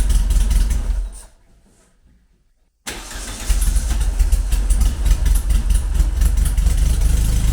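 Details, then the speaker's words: Classic VW Beetle EFI conversion after correcting backwards fuel pressure regulator and revising tune, engine cold before warm-up, exhaust fan in background; fairly steady tick-over that still wavers slightly; uneven idle. "Still not perfect, but it's ticking [Music] over."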